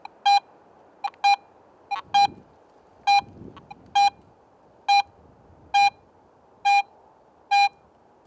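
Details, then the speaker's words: Garrett AT Pro International metal detector in Pro Mode over a silver coin: clean mid-pitched beeps about once per sweep, a proportional tone that grows fainter at deeper depths and hints at target size, depth and shape. "sounds fainter at deeper depths. This proportional signal strength helps the more experienced user understand more about the target's size, depth and even its shape."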